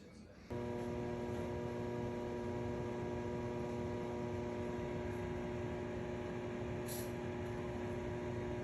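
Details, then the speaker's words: Whirlpool microwave that does not heat: a loud, distinct, steady electrical buzz-hum starts at switch-on, attributed to the magnetron. "she so you guys heard the noise that microwave was making that's a very distinct noise uh that's usually is the magnetron"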